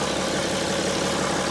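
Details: 2012 BMW X5 3.0 diesel AWD after a cheap EGR cooler repair, warming up: steady, even idle with no knocks or misses, just a smooth low rumble; the engine sounds healthy.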